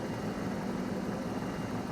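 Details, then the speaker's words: 1993 Ford F-250 with EEC engine computer and suspected fuel pump problems, scan tool showing no data: low uneven idle that hits and misses and jumps around; failed computer, running in limp mode. "it's basically in limp mode it doesn't know what to do so it sits here and it idles and it'll idle poorly it'll hit and miss it'll jump around a little bit"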